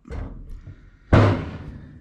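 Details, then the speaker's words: Ford Bronco kick panel area: single sharp hollow pop with ringing tail as the bowed sheet metal is pushed and snaps through (oil-canning); plan to cut welds loose, flex out the bow, possibly add welds. "So we're gonna try to address that. Probably cut these welds back here loose and try to flex that a little bit and maybe try to get that bow out of it."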